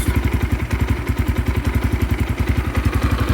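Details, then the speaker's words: 2022 X-Pro Templar 250cc single (DB-K012, 5-speed) with new Nibbi PE30 carburetor: thumping idle about three and a half beats a second, slightly uneven, sitting high and hunting between about 1000 and 1500 rpm; idle needs adjusting. "so yeah it looks like it's bouncing back and forth between I don't know if that's I mean it goes from one what is it between one and 1500"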